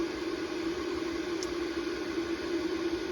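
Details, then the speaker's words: Renogy 3000 W inverter/charger, failed after 4 years, won't charge from the generator input: a constant mid-pitched cooling-fan hum that never lets up; owner suspects a faulty thermostat or sensor making it think it runs hot. "the fan runs all the time now so I think there's a thermo couple or something in there or some kind of thermostat or I don't know whatever turns that fan on this thing uh thinking it's running hot a all the time"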